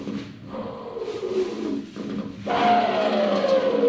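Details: Bearing from the electric motor of a Mercedes ED (Tesla-type drive unit), removed and spun by hand on a table: gritty roar with a faint tone sliding down as it slows; a crater is visible on the outer race, worn bearing.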